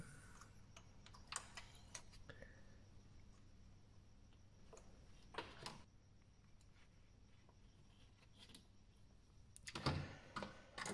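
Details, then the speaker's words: Intake manifold air control solenoid (Mazda 3 2005 / Ford Focus Duratec 2008) bench-tested, reading 32.3 ohms, within spec: sharp dry clicks in scattered bursts as the solenoid snaps over cleanly; working normally. "now we know this one it works because it's clicking"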